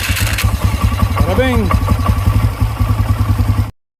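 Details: 2008 Polaris Sportsman 400 HO that only clicked and would not start; after a new starter is installed it cranks briefly, catches and settles into a steady thumping idle with no clicking, a healthy start.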